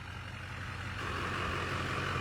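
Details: Airport limo after front clip paint, running outside after earlier start-then-stall issue: deep, steady idle hum, firms up slightly, no knocks or stumbles; normal idle, running like a top.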